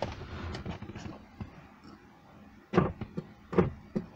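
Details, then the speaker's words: 2001 Alfa Romeo 156, ignition on, nearside rear power window: a dull single clunk each time the switch is pressed up or down, with no motor run or glass travel; the window is not moving, and the offside rear shows no life. "It makes a little clonking sound up and clonking sound down."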